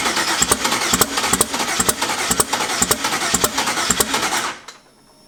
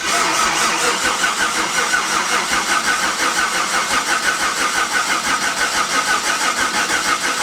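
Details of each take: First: Turbo engine first start attempt after adding ground wire, fuel pump on: cranking with sharp irregular pops about three a second that never catch; misfire from incorrectly wired ignition coils. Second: Engine cranked over before any fuel is supplied, on a first start attempt: an even, steady starter churn about three turns a second with no catches or odd noises. Normal cranking, no firing.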